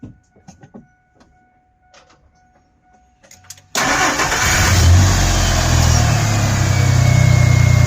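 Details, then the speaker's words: 2000 Ford F150 started after fresh oil change and coolant change: a few quiet clicks, then catches at once and settles into an even, smooth idle with no knocks or ticks. "And that's what it sounds like with the fresh oil."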